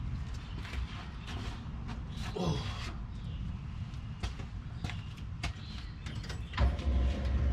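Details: 1989 Chevy truck with a new starter, an external fuel pressure regulator, a new fuel filter and a return line; slow steady starter churning about three turns a second, tries to catch but never fires; lines dry, no leaks. Crank no start, cause unfound.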